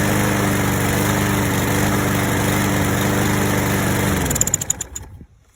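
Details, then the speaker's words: Craftsman 7.25 self-propelled lawnmower after fixing no-start (pin found installed upside down), formerly hard to pull: runs smooth and even, then coasts down cleanly to a stop; normal running and shutdown. "okay so with doing everything i did this is what it sounds like now and it used to be really hard to pull"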